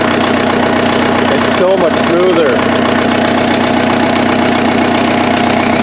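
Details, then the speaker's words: Offroad Mazda truck with a freshened replacement turbo diesel, cold-start advance disengaged, no smoke. Steady, even diesel idle with a soft regular clatter and no stumble or misfire; much smoother than the previous engine, which the owner suspects was one tooth off. "so i'll i'll fire it up and we can just hear it idle it's so smooth so smooth it's so good"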